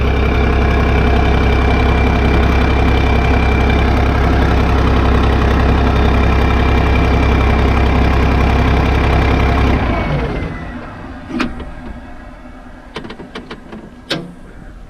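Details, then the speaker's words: Case 1450B dozer, rebuilt diesel, warm: steady, even idle with smooth low rumble and no knocks, then shuts down; oil pressure about 27 psi at idle, above the 20 psi worry point; healthy. "when I wall is nice and warm it takes in takes about 12 psi to float the barians so you get below 20 start getting worried at an idle we are about 27 right now"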